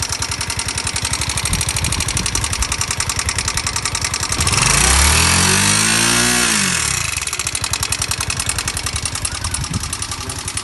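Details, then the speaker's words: NS 160 single-cylinder motorcycle idling: a sharp, fast metallic ticking from the top end caused by damaged rocker arms, which are to be replaced. "Este era el exeso de ruido que traía la la motocicleta"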